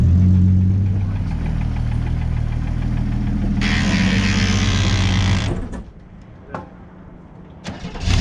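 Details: 1967 Chevy Nova barn find that last ran around 1982–83, started on starting fluid: deep, uneven idle with a loping beat for about five seconds before it dies; rough running after long storage.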